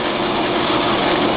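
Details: Gateway ALR-9200 server with triple-redundant power and hot-swap drives: loud, even drone with a steady whoosh, no knocks, rattles or squeal; normal fan and drive noise.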